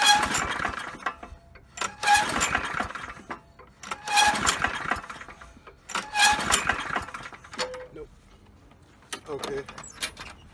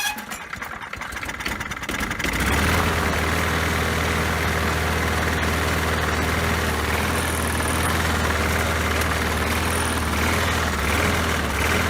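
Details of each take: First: Poulan Pro lawn mower, sat unused: repeated recoil pulls every two seconds, each a whirring crank with no pop, sputter or smoke; spark plug gap checked fine. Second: Poulan Pro mower that had been sitting, after refitting the missing throttle spring: fires after a couple of pulls and settles into a steady, even low thrum with no misses or hunting; running properly.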